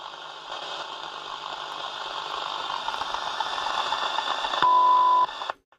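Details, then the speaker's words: Soundesign 2422 radio on a 6 V supply; hissy static then a test tone that suddenly cuts out when touched, intermittent dropout near a transistor suspected faulty. "there stopped again now look can you hear that touch it again stopped again"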